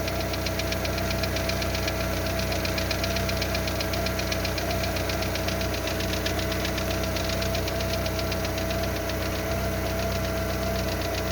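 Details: Lada Largus with 1.6 16-valve 129 engine, cold start, about three minutes in, after hydraulic lifter replacement: rapid light valvetrain tick, about four per second, fading as it warms, over a loud idle from a torn flex pipe.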